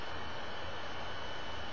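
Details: Computer fan heard while recording on a Logitech QuickCam Pro 9000 webcam as the computer freezes: a steady rushing whoosh with a deep hum and no rhythm. The cooling fan is running flat out; the cause is unclear.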